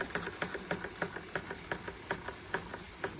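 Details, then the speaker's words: Antique Bing 130/382 poppet-valve steam engine on original burners, about 15-16 psi, cold start: quick, even chuffs three or four a second with a wet, sputtery edge as condensation is not yet cleared; water in cylinder on start-up. "I haven't got the condensation out properly yet. There she goes. There she goes."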